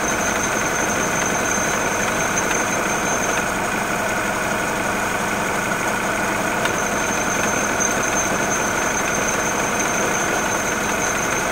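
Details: Mini Cooper R56 with N16 petrol engine, original condition before repair: uneven idle with vibration and light, irregular clacking from the friction wheel while the water pump is not being driven.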